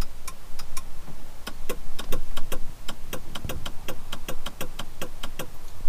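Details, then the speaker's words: Jeep Grand Cherokee 5.9 V8, ignition on, sunroof not working, listened near motor/control: sharp dry ticks over a faint hum, motor never spins; relay clicks on close but not open, owner suspects a faulty contact. "donc quand vous pouvez voir quand j'appuie sur le bouton comme si je voulais avancer il ya bien un petit clic par contre quand je vais essayer de l'ouvrir il est pas le petit clic il ya juste le clic quand je veux le faire"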